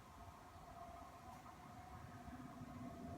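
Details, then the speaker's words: Webasto diesel air heater in a camper van starting up on a thermostat dial set near 68°F with the battery at 12.4 V: low rumble, then a soft steady hum and a faint whir building as the fan spins up, with heat filling the van. A normal startup. "It's starting up. Oh yeah. Nice and hot. I can feel the heat, the nice heat filling up the area."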